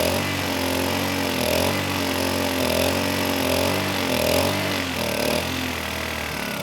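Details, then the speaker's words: Kipor KGE 1000Ti 1000 W inverter generator, about 10 years old, with a replacement carburetor: after a hard start of about 15 pulls, with the eco throttle off, the note keeps hunting up and down instead of holding steady. Lean-running surge. "This time it didn't stall, but it was running lean. It was surging."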